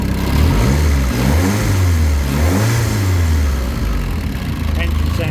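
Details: Mk1 Ford Escort with rebuilt YB engine, after fixing low oil pressure, manual oil gauge showing plenty of pressure: clean throttle blips rising and falling smoothly, no knocks or rattles, back to steady idle; sounds sweet and quiet, normal revving.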